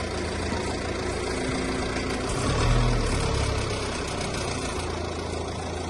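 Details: 2017 Alfa Romeo Giulietta 2.0 JTDM 175 hp diesel with TCT gearbox at idle: low uneven drone with loose rhythmic beat about four pulses a second; owner suspects gearbox problem.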